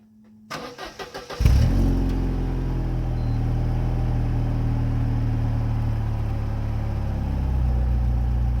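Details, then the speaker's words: Mercedes SLK 230 after welding a leaking muffler, with an added muffler and steel wool already fitted: it cranks, catches and idles with a deep, smooth exhaust note, no hissing or puffing leak; exhaust now seems fixed. "okay we have no leaking sound anymore I think this is good now"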